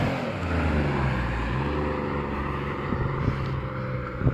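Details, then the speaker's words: Alfa Romeo 156 with 3.0 V6 and a newly fitted sports exhaust: deep exhaust rumble building and passing under hard throttle, clean and smooth with no popping or rattling, with grey smoke visible from the tailpipe; healthy. "sounds awesome oh I can see the gray stuff coming out the back that's um that's pretty hardcore for my brother actually"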